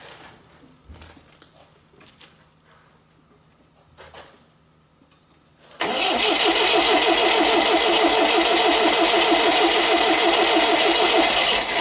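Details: MGB GT first start attempt after head gasket replacement, valves ground, electronic ignition fitted: starter turns engine at a steady three-per-second beat for six seconds without catching; cranks but won't start, cause unconfirmed.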